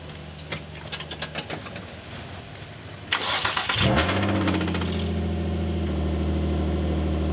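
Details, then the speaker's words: Nissan 350Z: engine cranks, catches and settles to steady idle with a thin high whistle over it; the drive belt is loose after the car warms up. "yeah you can kind of hear it yeah i mean the belt is loose after the car warms up"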